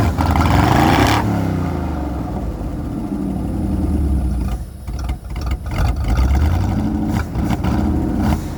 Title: 253 V8 Running With Vacuum Leak